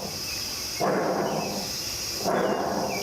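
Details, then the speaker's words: John Deere mower deck spindle removed from the deck and spun by hand gives two rough, gritty grinding bursts from worn spindle bearings; bearings need replacing. "hear that grinding noise that shouldn't be there so this obviously needs to be replaced"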